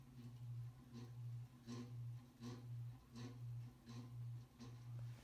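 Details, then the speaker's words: 1988-era 52-inch View ceiling fan model V652 with light kit, blades out of balance, on low speed: quiet hum with a rhythmic rubbing swell about once a second; worn, shot motor bearings, a known flaw of this model. "It's still noisy as hell though. You can hear those horrible bearings."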